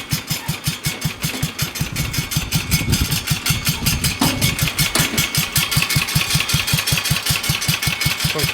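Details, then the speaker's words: 1966 Bolens 1050 single-cylinder engine at a very low idle with a loud muffler: slow, even running with light regular valve clicks about two or three a second; it sounds normal. "there it goes this thing idle's really low you kind of hear the valves clicking in"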